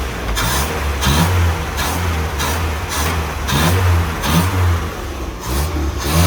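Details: Land Rover Series 2a first start after engine rebuild, temperature coming up, no leaks seen: quick throttle blips about once a second, each rising cleanly and dropping back smoothly; revs freely, healthy.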